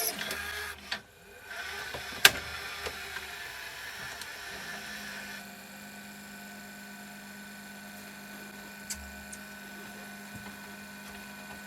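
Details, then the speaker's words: National NV850 VCR after belt kit replacement: small motor whir, steady low drone, a sharp click, then a rising mechanical whine; tape transport noise not from back tension, new idler not working fully, something slipping. "something's making a bit of noise it's not cuz of the back tension you hear that that new idle is not working 100%"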